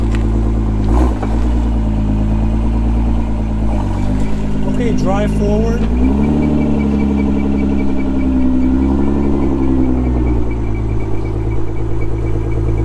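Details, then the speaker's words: Salvage car at an insurance auto auction with no check engine light, only the airbag light: an even, settled idle with a couple of quick throttle blips that rise and fall cleanly, with no knocks or misses; the engine runs fine. "okay yeah this thing's solid no check engine lights nothing just the airbag light let's see what it sounds like"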